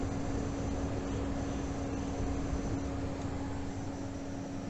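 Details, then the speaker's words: B450 motherboard PC with Ryzen 7 Pro, right after the CPU drops from 100% load to idle: faint, fast, uneven chirping over fan hum. It is not the hard drive and is louder near the board. "It's a sort of chirping sound you hear, and it's not the hard drive."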